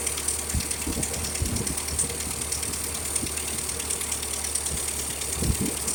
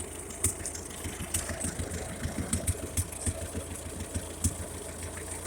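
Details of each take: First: 1956 Ferguson TO-35 tractor after carburetor replacement and new governor linkage; steady chugging idle with a sharp puffing tick on each firing beat from a heavy exhaust leak. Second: 1956 Ferguson TO-35 tractor after replacing the fuel-dumping carburetor with a cheap one and making a new governor linkage; steady, fairly even low idle with regular beats, no knocking, running well, though an exhaust leak pops at the manifold.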